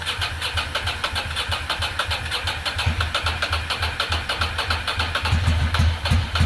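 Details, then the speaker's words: 2006 Ducati Monster S2R 800 V-twin, first start in years after fuel pump replacement, idles lumpy and uneven; front cylinder not firing, only rear getting hot, owner suspects air in lines or clogged injector. "it's gotta be air in the lines cylinder is not firing only the back one's getting hot so we probably have a clogged injector"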